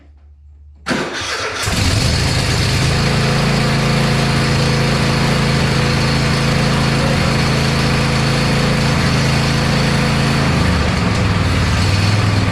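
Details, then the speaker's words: Neglected Cub Cadet lawn tractor with a newly fitted Amazon knockoff carburetor, started on a little choke: brief crank, then a steady, even run with a smooth low drone, no misses or knocks; sounds much better than the old carburetor. "Well, it don't sound too bad. It sounds much better than the old carburetor."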